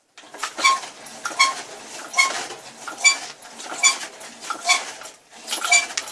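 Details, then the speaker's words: Orion moped front fork, squeaking even after the owner disassembled and greased it about five times: sharp high squeak on every fork compression stroke, about eight in six seconds, over a quiet background. "все же прекрасно сейчас слышали скрип передней вилки это действительно"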